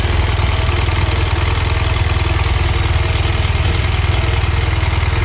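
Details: 2017 BMW R1200GS Rallye boxer, 29,000 km, dealer-serviced, totally cold engine idling: sharp regular ticking about four a second from both cylinders; owner unsure whether compressor or rocker arm problem.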